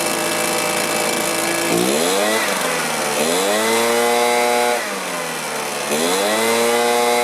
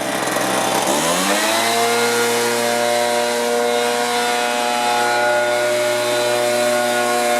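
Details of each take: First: Stihl BR450 two-stroke commercial blower that starts, runs, then dies: revs sag and recover about every two seconds, surging; fuel filter clean and return heard in tank but not pulling fuel; fuel starvation from a blocked tank vent. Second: Stihl BR450 two-stroke blower after carb cleaning, new fuel tank vent, coil gap set, low and high mixture adjusted: revs climb quickly to a clean, steady high-pitched scream with no surging or stumbling; normal running.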